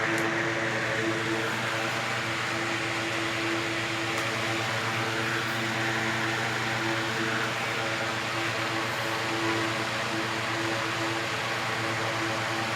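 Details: 1970s 16-inch Toastmaster box fan with replacement 1940s desk-fan blade set, set on the floor: even steady whoosh and motor hum, no wobble, rattle or thump, not sliding; normal running.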